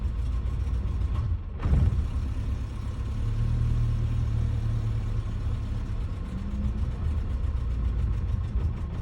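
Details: 1990 Suzuki Tracker/Sidekick petrol engine idling low and uneven, the beat stumbling now and then with a misfire, running rough.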